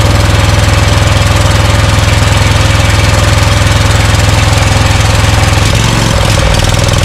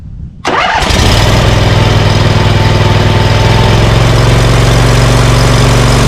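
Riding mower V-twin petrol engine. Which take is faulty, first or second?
first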